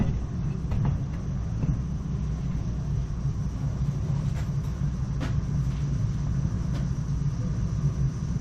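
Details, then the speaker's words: Weil-McLain EGH steam boiler fitted with an M+MG2 12-inch barometric draft control: a steady, even low roar from the flame with no pulsing or surging; the burner is firing normally. "if you listen you can hear the flame operating"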